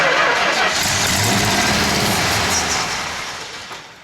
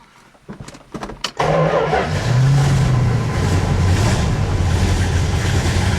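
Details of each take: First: 1970 Plymouth Road Runner first started after 25 years of sitting: runs briefly, then fades and dies as the poured fuel runs out. The fuel pump appears not to work, running only on gas put in the carburettor. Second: 1970 Plymouth Road Runner V8, revived after sitting over 25 years, catches after a few cranks and settles into a strong, even, deep rumble with no knocks or rattles; gauge shows 70 PSI oil pressure, dash reading blamed on faulty gauge; healthy engine.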